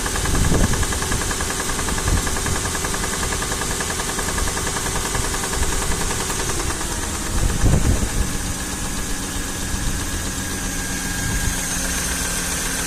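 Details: M113 V8 on a cold start: idle with a loose, irregular knock and a couple of heavier thumps; cause unknown.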